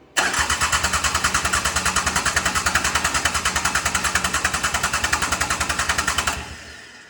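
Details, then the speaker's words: Mitsubishi L3E three-cylinder diesel after low-cost rebuild for a valve problem, compression test: steady cranking about 200 beats a minute, even compression pulses; a little over 400, rings not yet broken in so may improve; normal cranking compression. "Little over 400, but like he said, the rings still aren't really broken, so that might get better, but that's decent."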